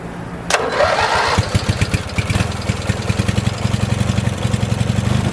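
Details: 1986 Murray lawn tractor single-cylinder engine after recurring carburetor trouble: quick crank, starts right away, settles into a steady, even putter about four beats a second and idles well; healthy.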